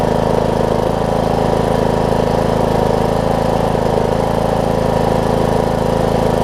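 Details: John Deere D105 riding mower, 62 hours, sat unused for an unknown time, just started after fuel reached the fuel pump: steady, even single-cylinder beat at a settled warm-up idle, no misses or knocks; normal idle.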